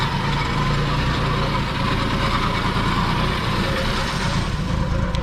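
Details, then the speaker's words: Ex-Army Jeep "Lt. Dan", not started since 2009, first start after reconnecting the fuel pump and carburetor and pouring gas into the carb; low, steady, even idle that holds by itself, running smoothly; normal idle. "there it is it started officially it is idling by"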